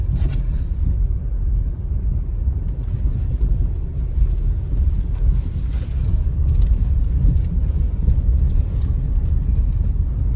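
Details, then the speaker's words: Honda City cabin on a smooth road after double-sided tape and soundproofing were added to stop a severe rattle: steady low road rumble, no ticks or buzzing from the trim, no interior rattle now. "की हिस्से से तो बिल्कुल नहीं ए रही आवाज़ फिलहाल के लिए तो"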